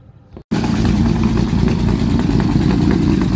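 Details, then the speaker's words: 1946 Dodge Power Wagon after fitting a replacement carburetor: starts without choke or priming and settles into a strong, steady, even rumble that revs cleanly. Normal running. "new carburetor it's actually getting the fu it needs and it's actually hiding really good no choke and we didn't have to prime it this time"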